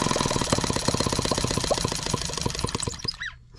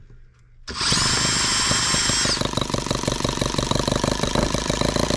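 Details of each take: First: Microcosm H76 twin-cylinder engine after pulling a fouled spark plug (covered in crud) from the misfiring cylinder, with water hopper off: quick, even firing pops, about four a second, both cylinders firing, then it dies off. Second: Microcosm H76 twin-cylinder model engine after valve lapping and new rings, started at low speed, slightly warm: briefly fires on both cylinders, then settles into an uneven, lopsided beat, missing on one cylinder; valve clearances still correct.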